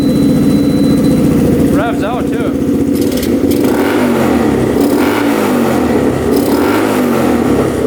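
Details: Rough 4x4 ATV sitting for years, first start after siphoning old gas: single-cylinder revs surge and sag, no steady idle; runs on partial choke, sputters and dies off choke; owner suspects lean fuel, fuel screw to go out.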